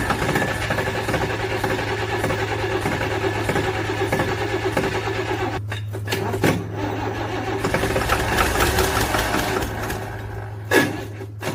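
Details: DT360 diesel hard start: cranks with a long string of chuffing beats and a steady low drone, then stumbles and catches; cause unknown.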